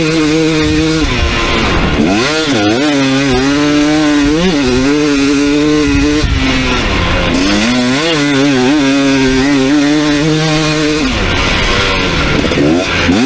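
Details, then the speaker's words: 2019 KTM 250SX two-stroke with Lectron Billetron 38 Pro carb, ridden on track after torque jet set out half a turn: revs climb and fall cleanly with zero pinging or detonation, but slightly burbly in spots, suggesting slightly rich running. "all right so no detonation that time zero pinging but uh it did feel a little bit blurby in some areas"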